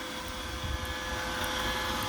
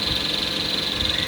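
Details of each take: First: iRobot Roomba (i/960/S series), aftermarket rollers removed entirely: steady whirring vacuum hum with no squeak, clicking or rubbing, running normally. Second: Roomba robot vacuum with recently installed cheap aftermarket brush rollers: a steady, high, fluttering squeak traced to the rollers. The fix is authentic parts specific to the model.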